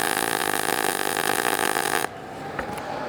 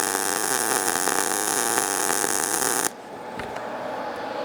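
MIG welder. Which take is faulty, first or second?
first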